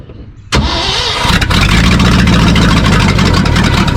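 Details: 1974 Ford F-750 dump truck that sat 4–5 years, with rebuilt carburetor and confirmed spark, air box off: starter cranks hard after a near-fire, then the engine catches and settles into a loud, steady run; long crank before first start.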